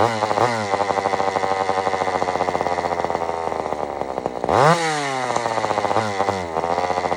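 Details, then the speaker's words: Old Sears Explorer II chainsaw: screams high, then sags and surges unevenly with buzzy rattling edge; mixture still off and the muffler is loose and falling off, adding rattle. "now first off this Muffler is falling off which I don't don't think that's normal for a muffler just to start falling off it ain't"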